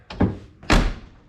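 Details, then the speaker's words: 2000 Chevrolet K2500 flatbed truck door after replacing all hinge pins and bushings and lubricating the spring: two solid low thunks, light latch then firm full shut, no creak or pop; door stops properly and shuts like a dream. "Shut. Open. Stops there. stops there, comes back and stops there, and then shuts like a dream."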